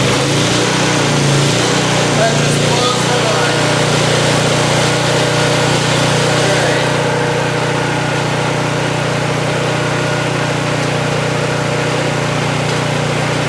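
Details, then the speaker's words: Vintage Honda EG1400Z generator, an auction find that wouldn't run, now fired up and idling without choke: steady, even engine drone at a constant low pitch, no hunting or misfires; normal idle, generator output not yet checked. "didn't even worry about it just sitting here purring along who knows if the generator side works"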